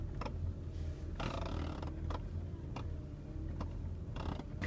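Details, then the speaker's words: Mitsubishi Pajero, engine idling: short creaky squeaks repeat as the steering wheel is turned, from the dry rubber steering boot underneath; spraying it with WD-40 stopped the noise. "معانا هنا ميتسوبيشي باجيرو، الدريكسيون بيزيق واحنا بنلف."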